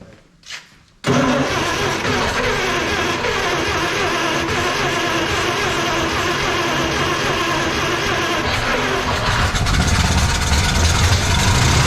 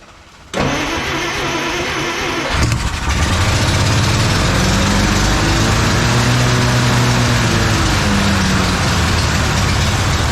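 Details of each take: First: 1956 Plymouth Savoy with a 277 Poly V8, first start on fuel poured into the carburetor with no tank feeding it: it catches and runs rough for about thirteen seconds, then fades and dies. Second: 1956 Plymouth Savoy 277 Poly V8, first start after sitting, fuel pump fed: cranks briefly, fires and settles into a fairly even, rumbling idle with a slight blip; runs fine.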